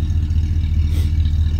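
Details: 1964 Oldsmobile Dynamic 88 convertible V8, recently made roadworthy: deep even burble from the tailpipe with a steady lope and no ticks or knocks; healthy idle.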